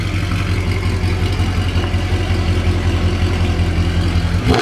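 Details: Mercedes C63 AMG that was misfiring on every cylinder and in limp mode, after all four O2 sensors were replaced and codes reset: deep, even V8 idle with a steady low rumble and no stumble or miss; it runs smoothly.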